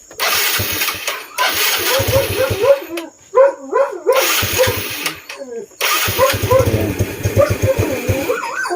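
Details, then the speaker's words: Yamaha Mio Sporty scooter, cold engine, after sealing an airbox hose gap and adjusting carb needle: catches, runs a few seconds, dies and restarts repeatedly; stalls when cold, likely mixture problem. "Mamamatay pa naman. Pinit pag-iinitin muna natin baka bago natin bitin baka alam niyo naman pag malamig ang makina talagang walang magagawa."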